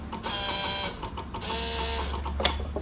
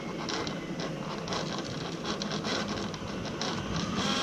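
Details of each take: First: 2004 Yamaha V-Max at ignition key-on: the small V-Boost servo motor gives a short whirring buzz of two brief sweeps, then stops cleanly. Normal V-Boost servo cycling. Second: 2004 Yamaha V-Max V-Boost servo heard with ignition on; whirs and ratchets briefly only after twisting the control box, then stops; intermittent operation, suspected solder or connection fault in the box.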